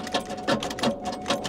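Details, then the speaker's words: Starter clicks in quick sharp bursts about three times a second with no cranking, even with a booster pack attached, on a truck at Copart. The engine is suspected locked up, possibly rods knocking, but this is unconfirmed. "nah she's dead she's dead something something told me that was probably the case when I saw how much oil was in it or something very wrong with this engine"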